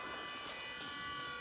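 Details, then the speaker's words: Ford Motor Company (Famoco) electric power steering pump on 12 V with ignition trigger, fitted to a 1939 Ford cab-over truck on a 2002 Durango chassis with stock Flathead; engine off, pump loud, steady electric buzz and whine; normal operation. "Now you can hear it running there, but you don't hear that noise with the engine running. It's pretty loud whenever the engine's not running."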